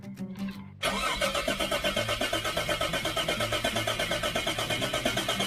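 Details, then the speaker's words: Nissan GQ Patrol "Pub Runner" with a cheap eBay turbo kit, wastegate and screamer pipe, first start; steady cranking for about a second, then it catches and runs cleanly; sounds right and is more responsive, though not yet making positive boost. "Alright, so she's sounding, she's making all the right noises. It's way more responsive than she used to be."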